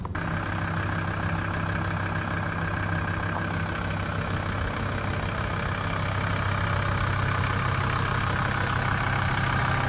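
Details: A VW T4 van idles steadily with an even low rumble and no belt squeal or chirp. This follows replacement of worn parts, including a new auxiliary belt and engine mount.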